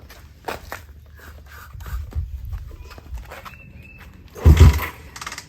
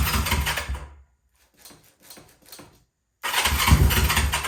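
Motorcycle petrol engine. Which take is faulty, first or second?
first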